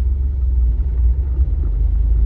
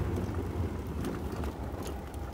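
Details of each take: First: Ford Ranger 3.0 Power Stroke diesel, 175,000 km, four-wheel drive engaged: heavy low rumble with no clear rhythm under the truck, worse with 4x4 on; customer thought it was the gearbox, but noise traced to the transfer case. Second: Ford Ranger 3.0 Power Stroke, 175,000 km, driven after repair with the mic near the gearbox. Steady low road rumble with no whine or growl. The loud noise was from the transfer case, not the gearbox, and is now gone.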